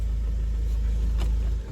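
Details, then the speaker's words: Audi diesel after the faulty injector was dealt with: smooth, even low rumble at steady idle, no shaking and the previous tick gone; engine idling cleanly, heard with the window open. "No more shakings on this car. No more shakings. And the tac is not there anymore. It's gone."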